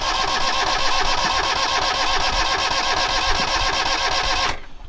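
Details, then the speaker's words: Sailboat diesel cranked at full throttle in neutral after fuel was seen misting but not building: the starter churns steadily, about four turns a second, never catching, then stops; it cranks without starting because no fuel arrives, and the owner checks it isn't switched off. "okay no fuel yet and we're definitely a full throttle and it's not turned off somewhere"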